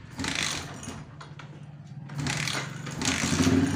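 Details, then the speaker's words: Yamaha Jupiter MX after combustion-chamber decarbon cleaning, warm engine (~80°C), spark plug refitted: engine catches at once, settles into a steady quick idle, then picks up cleanly on a throttle blip; feels lighter, healthy running. "heidon kita telah dulu jangan langsung digas biar dia nampak dulu ah baru boleh dibalik foto rasanya udah beda Bermuda Agak entengan"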